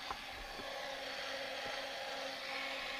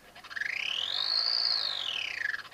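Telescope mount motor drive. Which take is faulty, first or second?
second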